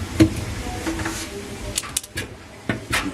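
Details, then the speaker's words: Kenmore dryer, drum turned slowly by hand with door open: uneven dull thumps and knocks from a crack in the back of the drum; drum needs replacing or repairing. "did you hear a thumping noise? There's a crack on the drum actually."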